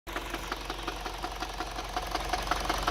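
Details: 2011 Mini Cooper just past 100k miles, full synthetic oil, noise started about 10 minutes earlier and worsened after 2 more miles: steady sharp knock about three times a second at idle; owner suspects rod knock.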